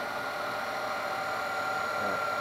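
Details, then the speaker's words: Denso alternator from a Jeep Cherokee XJ/ZJ, bench-tested after skimmed slip rings and new brushes, driven by a mill into a load resistor at about 50 A: a smooth, steady mid-pitched whir with no grinding or rattle. Normal running under load. "but it works fine we can hear it's doing some loads I'm the resistor starts thinking so there's no far let's take a line up here"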